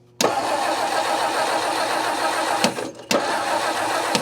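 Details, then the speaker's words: 1959 Meteor left in the bush, after setting ignition points to business-card gap: two bursts of steady starter cranking with no firing; crank no start, points not opening and closing, replacement points planned. "Well, now they're not moving. I crank it over and the points aren't opening and closing. What's up with that?"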